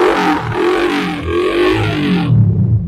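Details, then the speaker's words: Used 2022 Kawasaki D-Tracker 150 for sale, odometer around 2,000: light throttle blips rise and fall cleanly and drop back to a steady idle with no knocks or rattles; the engine is described as still smooth and healthy. "Oke. Dan untuk mesin juga masih halus, masih cirias."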